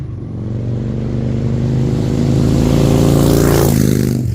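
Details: Salvaged 2000 Harley-Davidson Fat Boy V-twin, after flood restoration from 5 days submerged in Hurricane Ian floodwater: deep even beat climbing smoothly as throttle opens and settling back, no knocks or rattles; finally running and fixed, healthy.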